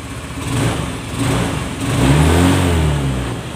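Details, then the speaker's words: Honda Scoopy FI after full service, CVT upgrade and air filter refit, previously slow throttle response and weak pull: small engine blipped three times, revs rise cleanly and fall back to idle without hesitation; throttle response restored. "Respon sudah guys ya. Oke. Bener kan? Nah, motor ini sudah respon kembali guys ya."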